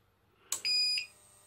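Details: Jaycar MP5207 UPS after battery replacement, switched on without mains: a click, then one high, clear half-second beep, normal on-battery alarm; the inverter is heard buzzing.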